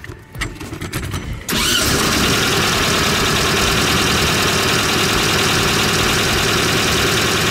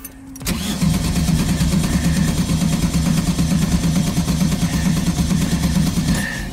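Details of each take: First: 1971 VW Type-3 Squareback 1600, cold engine, after the vacuum line was refitted: catches quickly after a short crank and settles into a quiet, even idle with no knocks or misses; sounds healthy. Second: 1971 VW Type-3 Squareback 1600 cranked on a jump pack because the battery is weak: the starter churns evenly for several seconds without a single firing stroke; no start because the ignition points were left disconnected.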